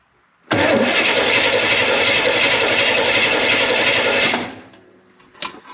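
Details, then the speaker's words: 1972 Corvette V8 (8.5:1 compression) cranking during a compression test of number three cylinder, readings 119–122 psi: steady, even, strong cranking at about four beats a second with no stumbles or knocks; normal cranking. "so we're gonna try to crank it over maybe you'll see a little better What compression we have"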